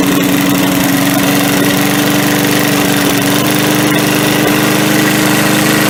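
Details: MTD push mower running at low "turtle" throttle after carb cleaning: steady even putter with a clean constant note, no misses or surging; normal running.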